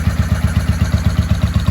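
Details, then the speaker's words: 1995 Honda Shadow VLX VT600CD V-twin idling after first start in years, air filter off, baffles drilled out; loud, even thumping about eight beats a second, healthy idle, just noisy; normal idle. "Well, I'd say that's a success. She's idling real nice."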